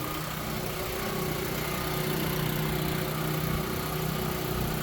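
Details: Power Stroke 6000 W generator, 389 cc, after carburetor clean and fuel filter replacement, clean oil: steady even small-engine drone and constant low hum, no misses or surging; running normally.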